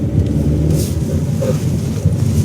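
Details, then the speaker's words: 2016 Chery Arrizo 5, 125,000 km, after replacing worn suspension link ball joints that knocked over potholes and when rocking the steering: only low even road rumble on rough road, no clunks; suspension now quiet. "现在没有声音了，这好了的，好了。"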